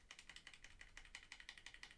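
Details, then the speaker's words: ZSA Moonlander split hot-swap mechanical keyboard after 1.2 mm heat-shrink tubing was shrunk onto the stabilizer bars of the two big keys: crisp, even clacks about six per second, each ending cleanly with no buzz or rattle; the stabilizer rattle is gone. "can hear the difference now rattle is gone so although that's slightly more involved than than wrapping plumbing tape around the stabilizer bars i think that's well worth it"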